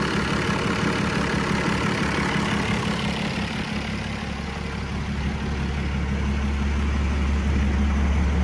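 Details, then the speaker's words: 1990 Dodge Ram D250, 12V Cummins diesel: deep, steady idle with even clatter at about three beats a second, no knocks or misfires. Zero blow-by; sounds healthy. "So it does sound good."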